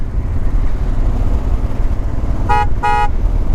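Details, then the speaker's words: Moto Guzzi Quota motorcycle on a test ride, horn tested. Two sharp, loud, bright blasts over a steady idling engine; the horn is normal and strong. "loud you gotta get people's attention with that"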